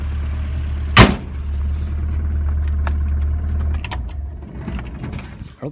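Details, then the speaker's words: 1985 Subaru Brumby (Brat) boxer four, 4-speed manual: after switch-off the engine drones on a few seconds, then fades with uneven coughs and knocks; slight dieseling. Owner also suspects rod knock heard only with RPM. "little bit dieseling so"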